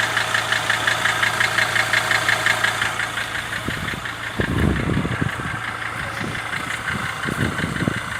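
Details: Mercedes W209 CLK 270 2.7 CDI diesel idle after near-overhaul (rings, bearings, honed cylinders, two had been scored): sharp regular tapping about three knocks a second over the clatter; quieter at first, knock appeared after 3000 km, origin unknown.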